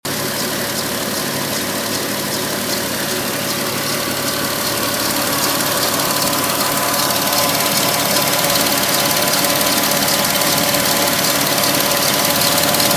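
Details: 2006 Porsche 997 S pre-facelift, 53,000 km, idling: busy, fairly even ticking clatter about two or three a second over the engine; sounds odd, cause unclear.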